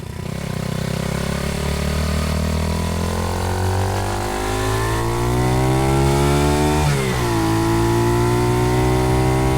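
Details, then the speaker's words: Honda CT70 Trail Widebody, freshly built, on its first shakedown ride after carburetor jetting was sorted; pitch climbs smoothly through the revs, drops cleanly at a gear change and pulls again without stumbling: running strong. "The other clips I had, she wasn't running so great, but you can see in this one, and I'm gonna let you hear it. She's really singing, and I'm really happy with how it's running now."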